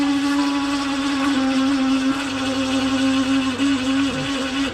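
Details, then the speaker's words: Hatari electric fan, loud and spinning weakly especially on low speed: loud steady hum with rough edge, pitch sagging as it slows; worn fan motor bushings suspected. "สวัสดีครับตัวนี้จะเป็นพัดลมของฮาตารินะครับอาการนะครับเสียงดังนะครับแล้วก็รู้สึกว่ามันจะหมุนเบาด้วยนะลงกันถอดตัวนี้แก๊กๆนะครับ"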